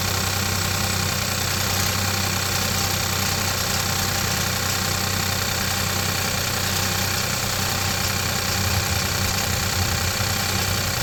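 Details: Hyundai/Kia 1.0 TGDi engine at steady idle, before the fix: light, fast metallic clinking like chain chatter. First thought to be the timing chain, it is a rattle from the turbo wastegate linkage, fixed by adding a small spring.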